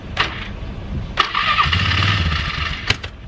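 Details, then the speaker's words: Newly acquired four-wheeler that had sat for years: cranking bursts catch and the small single settles into an uneven but self-sustaining idle. It is a normal start after long storage. "oh it's running dude you missed it Oscar it's running after all them years still running"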